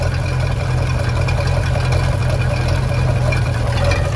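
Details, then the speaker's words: 1996 Bayliner Capri 2050 SS, 305 Chevy V8, after tightening loose rocker nuts: steady deep V8 burble at idle, even firing with no ticking; normal idle after repair. "None of that noise. Let me get out there and hear that. That ain't nothing like a V8 Chev."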